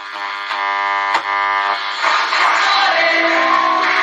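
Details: Kriesler 11-20 valve radio after repairs and valve swaps: clean, steady programme sound with no putt-putt or pulsing underneath; the set now plays properly, no motorboating.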